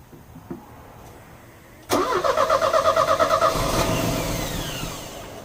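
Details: Euro-spec Mercedes 190E 2.0, 5-speed manual, fuel just added: about a dozen even cranking beats before it stumbles into a rough run; it ran about 30 seconds and stalled, and the fuel lines showed gunky, contaminated fuel.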